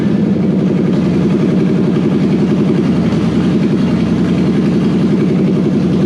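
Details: Toyota 1UZ non-VVTi V8 from a Soarer with stock Soarer ECU and auto, swapped into a Landcruiser on a new loom, testing supplied airflow meter and igniters: steady, even V8 idle with a smooth low rumble, no misses or knocks; starts and runs cleanly.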